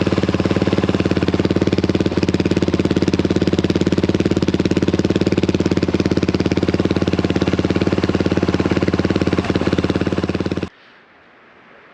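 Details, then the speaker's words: Honda XL175 single-cylinder, before replacing the muffler: hard, barking idle with evenly spaced loud pops for ten seconds; exhaust ear-piercingly loud. "hopefully it'll quiet her down a little bit uh she's she's pretty ear piercing you know it's just for uh for one lunger she uh she really gets the uh the decibels you know i'm saying"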